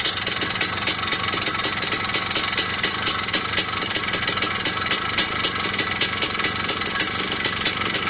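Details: Idling engine with a fast, sharp, regular tick over a thin hum; owner suspects piston slap, not confirmed; ticking knock at idle.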